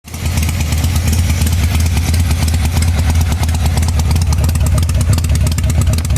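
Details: 1985 Harley-Davidson Sportster V-twin: loose uneven idle with skipped, lumpy beats instead of steady rhythm; rear cylinder misfiring.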